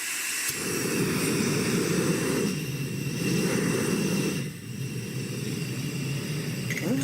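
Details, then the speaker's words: Primus Classic Trail stove, model 2243, on gas cylinder, manually lit: steady, even rushing roar as the flame is opened to maximum then shut off, no sputter or popping; stove burning normally. "if I open this up that's Max right there that's pretty that's pretty significant flame and off"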